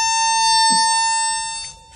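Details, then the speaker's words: Husqvarna Automower boundary-wire locator wand moved toward the live loop wire while tracing a no-loop-signal fault: a steady high-pitched tone that grows louder near the wire, then fades as the wand moves off. "Now, you can hear just a faint beep. Now watch this. As I get closer, it's getting louder."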